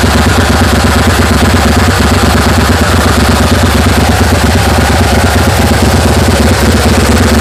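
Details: 1980 GMC Sierra C15, junkyard L31 Vortec 350, Summit K1107 .488/.510 lift cam, Performer RPM intake, 600 Holley, Flowtech headers, Thrush turbo mufflers, 9.5:1 compression: cold start, steady loping chop about two beats a second; microphone clipping.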